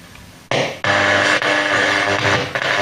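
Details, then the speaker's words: Abandoned Blaupunkt car radio from a Mk3 Ford Cortina: after pressing the medium wave button, a station comes through clearly with music and light hiss. Medium wave reception is working. "Yeah, so medium wave's up and running."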